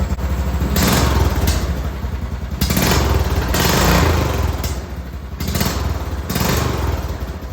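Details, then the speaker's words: Arctic Cat 400 4x4 original muffler rebuilt as homemade straight-through glasspack with drilled baffles, test-fitted on a Jeep: deep throaty rumble swelling with throttle blips; healthy, fairly mellow exhaust note. "that sounds pretty good all right so this Muffler is ready to get painted"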